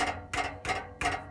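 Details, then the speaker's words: Nissan 370Z exhaust, heard lying under the car while shaking the pipe: three sharp metallic rattles about a third of a second apart, from loose muffler internals. The rattling is pinpointed to the muffler. "as I lay under here I can pretty much 100% tell that the rattling is coming from the muffler"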